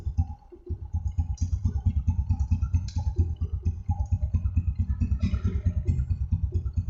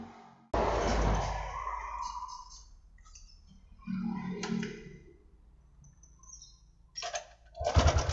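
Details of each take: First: Honda Supra X125 after repair of rough engine noise, oil freshly changed, oil pump checked: steady even single-cylinder idle with no rattle or clatter; engine sounds healthy. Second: Honda Supra X 125 motorcycle idling: harsh, uneven mechanical clatter from the cam chain side, worse at idle and partly fading when revved; suspected loose cam chain.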